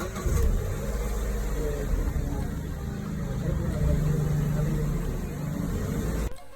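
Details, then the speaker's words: Car that made a weird noise while starting, diagnosed with faulty main relay and fuel pump relay; after fixing, engine runs smooth and even with steady low hum, no misses or knocks. "So, we have rectified the problem and now the vehicle is good to go."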